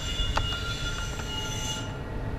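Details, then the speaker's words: 2 kW Chinese diesel air heater on a standard LED controller with manual pump pulse rate at 1.6 Hz: a steady even roar, thin fan whine and faint pump ticks. It burns cleanly with about 80 degrees temperature rise; normal running. "this at 1.6 hurts everything's looking good have an increase in temperature of about some 80 degrees all running the same as before"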